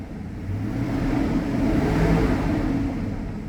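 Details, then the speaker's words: 1999-06 Chevy/GMC truck after converting mechanical belt-driven fan to electric cooling fan: smooth even rumble swelling with throttle, no ticks or squeals; later idles about 600 rpm and no longer climbs to 230°; normal running. "golden sounds like it should so yeah there's that mechanical belt driven fan conversion complete"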